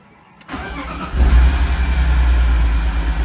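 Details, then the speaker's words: Flood-damaged 2006 BMW E46 M3 first start after new oil pan, MAF plugged in, vacuum leaks plugged: deep, mostly even idle with occasional stumble and shaking; slight misfire, but no rod knock, bearing noise or chain rattle. "Well, still missing a little [Music] bit. The engine sounds good. I mean, the engine sounds pretty healthy. Uh, I mean, it's misfiring a little bit, so she's shaking a little bit."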